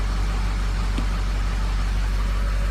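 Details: 550 bucket truck diesel after a low-pressure oil pump teardown for no base oil pressure: deep, steady diesel rumble with even firing and no knocks or misses, running cleanly while pumping oil.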